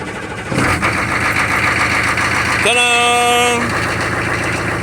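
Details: Humvee diesel started with newly installed keyed ignition switch: catches at half a second and settles into steady even idle, short buzzer tone midway; runs healthy.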